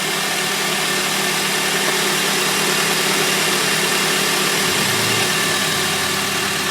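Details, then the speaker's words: 2001 Honda Civic (7th gen) idling cold after a timing belt, water pump, tensioner and accessory belt replacement, with the A/C compressor on full: steady even idle, constant hum and light belt whir, no knocks or squeals; the belts look and sound fine. "We're gonna let her warm up. And I'll give it a couple of revs after it warms up."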